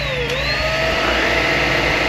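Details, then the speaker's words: Trash-found Shark NV150/NV151 vacuum, filthy and uncleaned, first power-on: motor spins up to smooth whirring whine with even airflow rush, roller turning, no rattles or grinding; motor runs normally. "Okay, the motor's turning on. It's not noisy, that's good. And you can't see it, but the roller is actually rolling."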